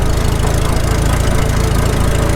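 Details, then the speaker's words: Farmall H tractor after cylinder sleeve repair, up to temperature, low idle in fifth gear on road under way; slow even thump, steady firing, no misses or knocks: normal low idle. "Not bad. Make her work a little bit."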